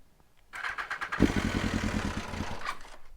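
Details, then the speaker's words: 2020 BMW S1000RR, cold start at about 45°F in December, coils previously failed: half a second of starter whir, then fires cleanly into quick, even, crisp idle; owner suspected slightly low battery. "oh that sounds great okay here we go the battery was probably a little low or something yeah this thing sounds okay so we're good"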